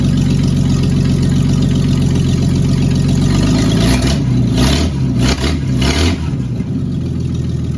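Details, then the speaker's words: Cab-over van conversion six-cylinder after refitting the distributor cap: steady, even low rumble settling into a smooth idle with brief blips, no knocks or misses, 40 lb oil pressure; normal idle. "all right I'm calling that a win"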